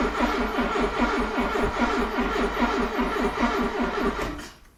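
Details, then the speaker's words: Cheap classic Porsche on a weak battery, cranked with slight throttle: steady cranking at about two and a half compressions a second with no firing, then it stops. Owner suspects the fuel pump isn't priming; crank, no start. "No start today, but pretty goddamn close. We got it cranking"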